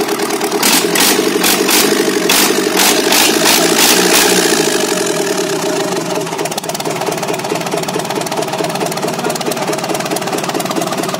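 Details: JCB Kirloskar 4R1040 diesel, first start after rebuild: steady idle with even beat, some sharp clatter early on, then settling into smooth regular running.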